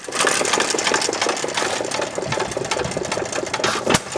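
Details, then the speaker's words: 1919 Domestic side-shaft hit-miss engine after timing adjustment: steady crisp mechanical clatter with sharp firing pops, no knocks or grinding; sweet running. "Well, I think that's a sweet running engine there, Mike."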